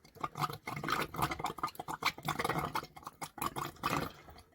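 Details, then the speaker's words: Caravan water system after winterization, with the tank filling and hot water starting to come through: irregular wet gurgles and pops in uneven bursts as trapped air burps out of the pipes. "i think the water tank's starting to get full she's burping up come on come on girl burp through there we go we're getting some starting to get all the air out now"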